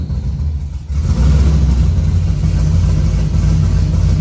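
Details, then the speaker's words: C6 Corvette first started after the drivetrain was reinstalled, with the EBCM bypassed: the V8 fires into a deep, uneven rumble pulsing about three times a second under light revs, sounding wrong, cause unknown. "that sounded weird sounded really weird"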